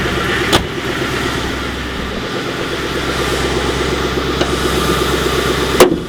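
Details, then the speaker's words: Ex-police Ford Crown Victoria P71 V8 at idle, hood open: steady quick ticking knock over the idle, heard from one side, strongest when cold right after starting and much weaker once warm; cause not yet pinned down. "I hear knocking from this side But you can really hear it strongly only when it's cold Only right after starting"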